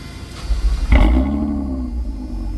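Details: 2020 Toyota Avalon TRD after spark plug change, heard from the rear of the car: brief cranking, catches cleanly, settles straight into smooth even idle, no misses or ticking; normal startup and idle.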